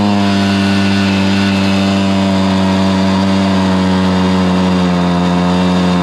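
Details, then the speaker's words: Stihl BR430 blower after the carburetor was cleaned and the high-side limiter adjusted to cure bogging: strong, steady high-pitched two-stroke howl at full throttle with no bogging or surging; running properly. "okay there you have it man it was a struggle trying to figure out exactly what what was causing this bargain down on this steel br430 leaf blow but we discovered it"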